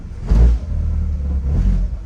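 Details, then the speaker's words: 2004 Honda CR-V held on the brakes while shifted into drive/reverse and tapping the gas: deep engine rumble with two heavy low thumps and the car jerking back and forth; worn engine and transmission mounts. "I'll put on the reverse you can hear that clunk noise see the car is jerking back and forth"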